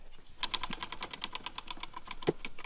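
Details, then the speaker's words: Jeep electric locker actuator energized, engine off: rapid even light ticking about ten per second; actuator not pushing out far enough to engage, ticking stops when pushed in by hand and both sides lock. "So it's not actuating this out far enough, but I go like this and it locks in and both sides lock up and it doesn't tick anymore."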